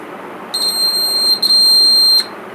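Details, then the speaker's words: Homemade battery-powered door alarm, larger buzzer, tested right after wiring: loud, steady, piercing high-pitched buzz for nearly two seconds, then stops cleanly; buzzer works properly. "இந்த மாதிரி தான் sound வரும். சின்னதுலேயும் அது அதிகமாக sound வரும்."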